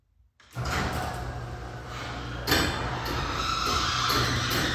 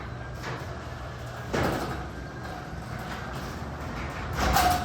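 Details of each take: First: Garage door before installing Green Hinge system and DURA-LIFT nylon bearing rollers replacing hard plastic rollers: loud rumble and rattle while travelling with a sharp clank partway; owner hopes the upgrade quiets it. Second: Garage door after installing Green Hinge System and DURA-LIFT nylon bearing rollers: rolls with a low steady hum and soft rumble, only light clicks at panel joints; quiet normal operation.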